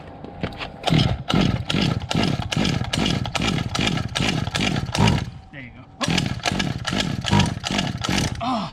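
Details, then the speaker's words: Old Bigfoot GoPed two-stroke that sat over 4 years, ridden around. Buzz surges unevenly about twice a second and never reaches a clean wide-open howl; not running fully open, cause unconfirmed. "you know what's funny it's like she's not running like like fully open you know"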